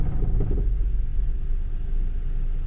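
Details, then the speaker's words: Suzuki Splash 1.0 first start after fuel pump replacement: pump heard working, then a low, uneven, lumpy idle rumble as air in the fuel system makes the engine shake, settling to steady idle within seconds. "i can hear the pump is working oh because there is a air in the system the engine can shake a little"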